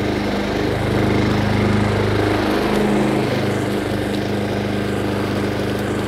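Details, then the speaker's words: Honda Harmony II HRS216 lawnmower after carburetor service and tune-up, warm, at low idle: single-cylinder engine holds a smooth, even idle with steady pulse and no misses or surging; healthy. "Một lần nữa, hãy chắc chắn rằng cô ấy bắt đầu khi cô ấy nóng. Ở chế độ nhàn rỗi thấp!"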